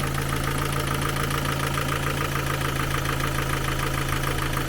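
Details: Ford Focus 2 after partial valve work and injector cleaning, with clearances still not to spec and only an intake valve corrected: a fast, light tick at three to four taps a second over a steady idle, with slight rattle and no leaks. Valve tappet knock remains.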